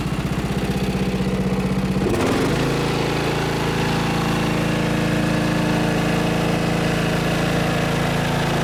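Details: Riding mower fired up after fitting homemade quiet exhaust with added piping: few seconds of pulsing catch, then steady even run with soft low thump, no rattle; pretty quiet comparatively, normal.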